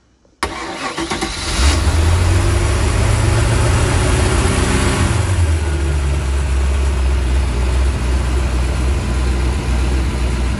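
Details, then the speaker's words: 1996 Bayliner Capri 2050 SS with 305 Chevy V8, sat 14 years, after snugging loose valvetrain parts under the valve cover: deep, even burble with no valvetrain ticking; normal idle. "None of that noise. Let me get out there and hear that. That ain't nothing like a V8 Chev."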